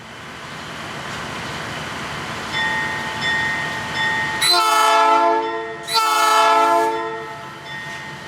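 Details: 1953 GE 80-ton long-frame diesel locomotive, last run 1998 by the Navy, just revived after temporarily twisting the contactor coil wires: steady drone under load, two long horn blasts, pulls smoothly; goes forward and reverse, loads up. Dead spots in air throttle, likely loose wiring.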